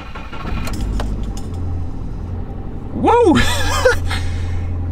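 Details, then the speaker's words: Subaru Forester that would not crank, after cleaning a small connector with contact cleaner: short crank, then it catches at once and settles into a steady, even idle with no stumbling; normal start on the second try. "just started guys done second try maybe it was just luck keys working we are rolling"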